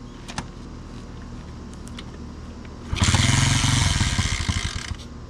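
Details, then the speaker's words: Honda CT70 after engine swap, first start in neutral with carburetor, fuel and exhaust just fitted: small single bursts into a rough fast popping run for about two seconds with an odd extra rattle; source unknown. "what's that sound? I don't know what that sound is."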